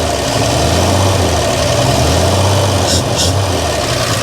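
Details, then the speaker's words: 1955 GMC 350 grain truck engine at a steady, lumpy idle with an even low beat, running on fuel poured in by hand until it runs out of gas; runs fine. "just let her run out of gas guys let her do what she does that is beautiful right there that's beautiful"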